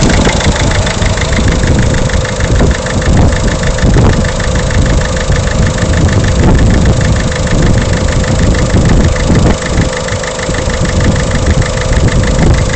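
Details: Peugeot 307 1.6 HDi diesel at idle: heavy low rumble with an irregular knock about every second; abnormal engine knock, source not pinned down.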